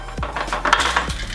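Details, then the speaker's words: Spring-type chest expander during pulls: scattered sharp metallic clinks and clacks at irregular moments, happening only sometimes as springs stretch; cause of rattle unclear. "sometimes I'll hear sort of clacking noises, sort of metallic clinking noises."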